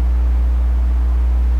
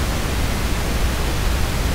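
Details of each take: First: Phono stage picking up external magnetic fields from nearby equipment such as a transformer: loud, steady low hum with a buzzy edge, no change in pitch or level; best tracked down by moving and rotating the phono stage. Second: Phono stage noise floor recorded as the 47k loading resistor alone: soft even steady hiss with no hum, buzz, crackle or pops; a clean normal noise floor.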